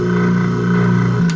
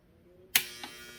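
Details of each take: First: Sink garbage disposal, previously buzzing but not spinning, after freeing it by spinning with a drill and reinstalling: steady, even low hum with a smooth whir and no grinding or buzzing stall; something stuck was likely freed, running normally. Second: Sink garbage disposal, probably about 10 years old, removed and cleaned, plugged into a power strip: switch click then steady electric buzz, motor not spinning, reset button pressed without effect; motor hums but does not spin (stalled), disposal presumed bad.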